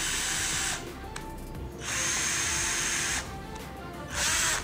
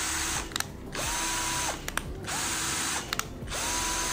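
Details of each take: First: Sunc S12 12 V cordless drill, battery fitted: three short bursts of harsh, rough motor whine. The speed selector sticks between speeds and must be pushed forward again to engage. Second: Sunc S12 12 V cordless drill in reverse: three short trigger pulls, each a clean whine rising and falling with no grinding or catching. Reverse drive works with no problem.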